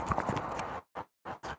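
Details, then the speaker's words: 2013 Kia Optima: worn sway bar link ball joint, broken and full of debris with visible play, gives sharp irregular clunks and clicks when rocked by hand. "So it was clicking like crazy. And that one the same stuff. You see you hear the clicking."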